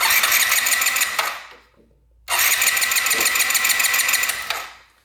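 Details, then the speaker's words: 2022 Benelli 302S motorcycle; two bursts of thin starter whirring without catching, crank no start, with the fuel pump not pumping gas to the disconnected injector; owner suspects no 12 volts reaching the pump. "Yeah, so we're not getting, I don't think, any power to this pump."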